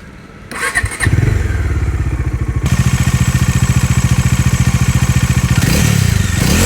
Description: This is an informative video about the infamous Rattle & Buzzing Noise experienced by many Dominar 400 owners across the globe.